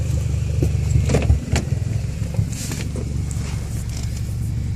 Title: 2008 Evo X Rough Idle